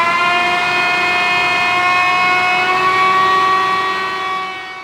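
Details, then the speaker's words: F12-090 7,000 PSI hydraulic motor, torn down and reassembled, run on the bench in the reversed direction at 3,200 RPM. Clean, steady high whirr holding speed, then spinning down smoothly, with no squeal or grinding; healthy. "So, that's a 7,000 PSI motor and it's going 3200 RPM there."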